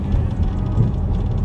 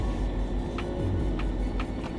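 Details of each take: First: Dodge Challenger (2008–2019 platform) after fitting Megan Racing adjustable front upper control arms with Eibach lowering springs and an alignment: driving over a reflector bump gives only dull road rumble, no clunks or knocks; suspension sounds normal. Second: Front-left wheel-well clunk on a Dodge Challenger with Eibach lowering springs on factory upper control arms, heard once as the car backs into the garage over a bump; owner suspects the control arm.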